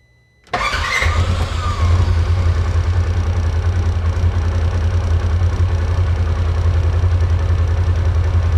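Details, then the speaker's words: 2016 Polaris Ranger 900XP after the throttle body was cleaned and refitted: catches quickly and settles into a low idle with a slightly uneven beat. The 8–10-month-old fuel, smelling like nail polish remover, is suspected. Still rough running. "Okay, I like that way better. It is running a little bit rough still."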